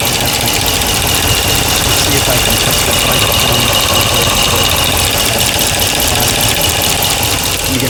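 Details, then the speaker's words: 2009 Ram 1500 5.7 Hemi, ticking since its rebuild, left valve cover off at idle: quick ticking about two per second, loudest at the number 1 intake rocker, exhaust quiet. No excess lash or guide play; suspects the lifter. "Sounds loudest on the front rocker arm. I'm going to try and hold down the rocker arms."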